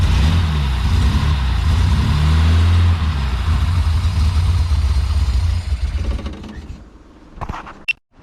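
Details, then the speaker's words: Datsun 240Z with a lumpy cam, restarted after refuelling; loud lumpy idle with an uneven beat that fades away; runs better with fuel but running pretty rich and still needs tuning. "so she definitely runs better with fuel in it still needs a bit of tuning she's running pretty rich"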